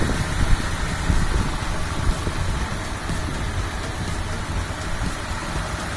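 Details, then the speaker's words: 1997 Honda Civic Ferio automatic, fuel-injected engine, original 1997 engine: low even idle rumble with a steady beat, no misses, ticks or shake, minimal vibration; idling smoothly. "Langsam ya. Ini minim getaran."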